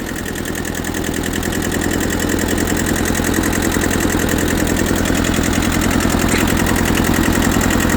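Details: Auction tractor (Ford 8N or Kubota B6000 4x4) that sat for years, just started: even, steady diesel clatter at idle, about two and a half beats a second with no misses; normal idle.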